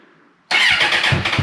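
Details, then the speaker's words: Suzuki Bandit 650S barn find that sat 2 years, first start after freeing the seized clutch and an oil and filter change, battery trickle-charged, choke on, clutch held in: a quiet crank, then it catches and stumbles through uneven, lumpy beats; hard starting after storage. "Oh, choke. What's the fuel like in it? She's trying. He's holding his clutch in as well."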